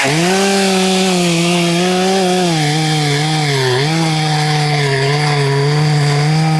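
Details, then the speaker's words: Husqvarna 266XP resto-mod chainsaw built from mostly OEM/NOS parts, bottom-end bearings never replaced, cutting wood. A steady high buzz that wavers and dips under load; the owner suspects the bottom end needs bearings, unconfirmed. "WELL, I DON'T KNOW WHAT IT SOUNDS LIKE TO YOU GUYS, BUT it sounds like it might need bearings on the bottom end."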